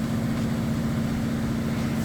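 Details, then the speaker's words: Whirlpool Cabrio HE washer at its fastest spin: smooth even hum, one steady low tone, very little vibration, no knocking, drain pump extracting water, fan noise in background; normal. "all right spinning at its fastest spin you can see very little vibration"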